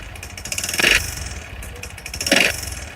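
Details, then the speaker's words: Motorcycle engine rebuilt and then ridden without observing the break-in period, alongside a bad connecting rod: light throttle blips bring a brief metallic rattle from the timing chain adjuster area, a timing chain problem. "এবং পাশাপাশি হালকা করে যদি আমি accelerator দেই তাহলে আপনারা timing চেনের সাউন্ডটা একটু শুনতে পাবেন। এই ঠিক এইখানে টাইমিং চেন অ্যাডজাস্টার, এখান থেকে হালকা একটা সাউন্ড আসবে, দেখুন।"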